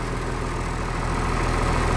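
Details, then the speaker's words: 1996 Blue Bird diesel bus idling in cold weather, cab interior items vibrating, 50 psi oil pressure, alternator charge coming up, half fuel; even deep diesel clatter at steady idle with no knocks or surges, normal healthy idle. "See, a lot of stuff vibrating. This stuff too."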